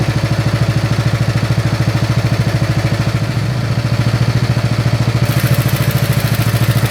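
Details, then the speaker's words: Snapper SR-Series mower with 10HP Briggs & Stratton single-cylinder engine, stored 10 years, after carburetor work and fresh treated fuel: steady, even thump about 200 beats a minute, no misses or hunting; running good, air cleaner makes a difference. "All right, so she's running good. All right, she's starting to wake up. The air cleaner makes a difference."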